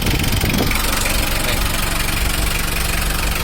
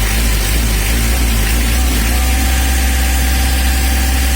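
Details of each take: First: Mitsubishi L300 diesel before the injection pump timing was set: an uneven, heavy clattering idle at about two knocks a second, a harsh diesel knock from incorrect injection timing. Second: Mitsubishi L300 diesel after injection pump (bospam) tuning: steady low diesel clatter at idle with a brief rev near the end, settling back smooth; idling evenly and healthy.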